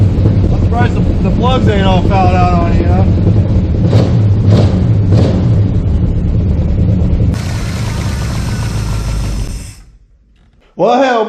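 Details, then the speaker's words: 1972 Plymouth Fury III with new glasspack mufflers after ignition no-spark troubleshooting: steady low rumble, then a harsh burst as the engine catches and revs before dropping off; it now fires and runs. "boys we gotta run here again look at that thank God man that had me worried"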